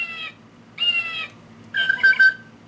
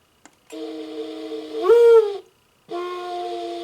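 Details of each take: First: Singing bird clock, original movement: short electronic bird songs come out harsh, buzzy and distorted, low tones weird, some birds silent, clock mechanism stopping. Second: Singing bird clock after replacing the movement and fixing a loose speaker solder joint: three clear, steady whistling bird calls with no rasp or crackle, no longer distorted.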